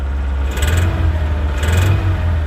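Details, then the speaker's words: High-mileage Nissan D21 Hardbody truck idling: lumpy, uneven idle with deep low drone and occasional clatter bursts; owner suspects a lower-end engine noise, with motor and transmission mounts probably worn, not confirmed. "I think it it the more I I listen to it, the more I think it's probably a lower end noise."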